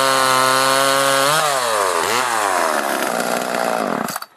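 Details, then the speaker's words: Homelite LX30 chainsaw (near-identical to Super 2) after carburetor kit replacement (K10-WAT kit), warmed up, air filter on, cutting logs: revs high and steady, bogs smoothly into the log, recovers cleanly, then shuts off; runs healthy. "so it seems to run good now I'm pretty happy with it it is a small saw so you do have to take your time when you're cutting through logs like that"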